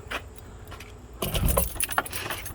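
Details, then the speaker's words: Chevy Blazer 4.3 V6, after replacing a distributor rotor that caused a crank-no-start: keys rattle, the starter spins briefly and the engine catches and settles into a run, starting normally now. "cranks. Bingo! And that's what it was, kids."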